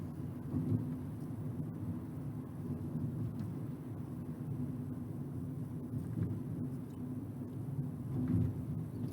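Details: Ford Ka coasting in neutral from about 35, NVH accelerometers at the wheel hubs, compared before and after the bearing fix: only a soft, even tyre and road rumble with no droning hum; the wheel bearing sounds fine.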